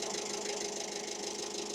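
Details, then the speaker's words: Diesel engine in a workshop with John Deere 6600 and Tailift forklift jobs idles harsh and clattery with a busy, uneven knock; air bubbles are seen at the second injector, changing the tone, and the air source is still unknown. "Yeah, you have a lot of air coming on that second injector. I can just feel that here at the different tone now."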